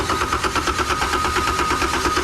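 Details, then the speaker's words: Isuzu diesel from an air compressor, bought non-running, said to have 60 hours, cranked with injection pump jumped on and fuel reaching the injectors: steady, even beat with flat pitch, no galloping; normal cranking, even compression. "That thing sounds really healthy. Notice a nice flat plane and pitch. Nothing's galloping, nothing's jumping."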